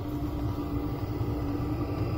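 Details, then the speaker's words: Chinese diesel heater pulse fuel pump in a Jayco Swan van, suspended on rubber hose inside a box wrapped in egg-carton foam: only soft low hum, no sharp ticking; quiet operation after the fix. "put it right up i was a bit dubious but that's worked out really well so if we go away from it now you have to be listening really hard to hear that and that easily just sits in the background like your subconscious or your mind will just easily block that out"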